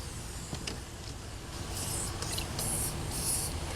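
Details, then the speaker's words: Van tire from a used-tire shop, already worn: sharp, airy hissing comes in bursts as air escapes through a split in the sidewall, found with bubbles. The split can't be plugged, so the tire is being replaced. "where's the dumb leak oh i see some bubbles somewhere oh so on this side look like it's over here guys oh i hear it right here"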